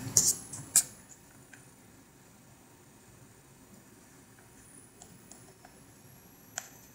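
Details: Zotac GTX 970 graphics card under load: thin, very high steady whistle behind a few mouse clicks, typical graphics card coil whine.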